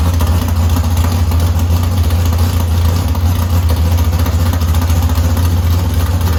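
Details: Chevy S10 bracket drag truck, first start after sitting almost two years, transmission and driveline reinstalled, oil and water filled: loud deep V8 rumble with lopey cam beat at fast idle, firm and consistent; runs really good, normal running.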